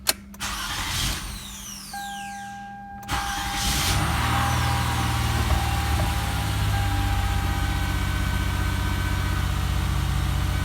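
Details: 2006 Toyota Sienna 3.3L V6 just after DIY starter replacement: a short, brisk crank catches quickly and settles into a smooth, even idle; starter and engine working properly; normal crank and start.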